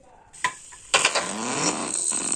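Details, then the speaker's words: Shivay 11 Bluetooth speaker powered on playing music: harsh crackling distortion with sharp pops, sound cutting in and out; faulty speaker suspected, with the 2-inch speaker to be swapped for a 4-inch bass speaker to test. "On करने के बाद ये जो मेरा है Bluetooth जो मैंने speaker है इसको ऑन करने के बाद इसका आवाज फैट रहा है"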